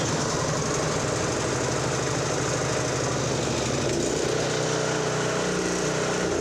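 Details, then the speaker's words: Toro 721 commercial Power Clear snow thrower, 7 hp, 21 inch, Toro-branded Honda-clone single-cylinder engine, choke on, unknown history, runs after no-start: steady rapid putter settling evenly; normal running, bad spark plug suspected as no-start cause. "Okay, this one runs. Bad plug. Stick with the basics."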